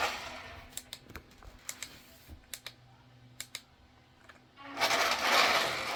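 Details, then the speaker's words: Power Craze Drift Master toy RC car after repair: scattered clicks then a sharp high gritty whir as the motor spins up; gear noise absent on the other unit, owner expects the rear-axle gear to fail and will replace the axle. "Yeah, you hear the gears? The other one doesn't have it. But once this gear actually fails, I'll swap out the rear axle."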